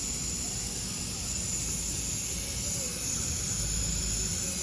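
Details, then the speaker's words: Brand-new narrow-gauge KTR 450 at factory inspection, air pressure built up: constant high-pitched hiss over a low machine rumble; air leaking at a solenoid that was not even tight and moved, to be tightened. "Sounds like it's coming from one of these solenoids. Let's see. That one's not even tight. That could be our whole problem."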